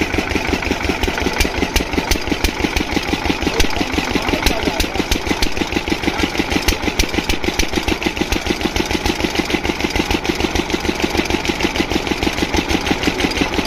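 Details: Diesel water-pump engine, after fixing the no-start caused by fuel not reaching the pump, knocks steadily at about three beats a second with no misfires or stumbles; running perfectly, no problem.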